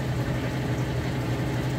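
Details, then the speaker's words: Kenmore HE top-load washer on final spin, spinning fast to max-extract water: steady low hum, even smooth spin, no knocking or scraping; extracting normally. "is when it spins this fast does a really good job Max extracting the water out so it's going to cut your drying time in half"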